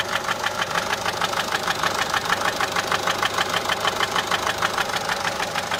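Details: Peugeot 407 1.6 HDi 90 diesel at idle: fast even top-end ticking, about three a second. Noise began after a road drive, with slight white smoke from the rear. Mechanic suspects tappets (poussoirs), unconfirmed.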